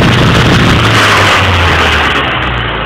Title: ford mondeo misfiring